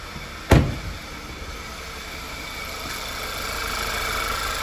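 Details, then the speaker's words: Rebuilt Audi/VW 2.0T TFSI engine (B8) after repair of a ticking/tapping noise: after one brief thump, the engine settles into a soft, even hum with no ticking or tapping. It is purring like a kitten, smooth and healthy at idle. "just like that she's purring like a kitten but i think i need to rev her out"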